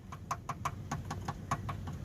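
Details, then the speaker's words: 1983 Oldsmobile Cutlass T-top after bodywork: knuckle raps on the frame-area panel, about four a second, sound dull and dead rather than ringing steel, revealing body putty underneath, also up front; to be fixed. "You hear that? You hear the difference? Same thing up front right here, just body putty. So I gotta get all that fixed."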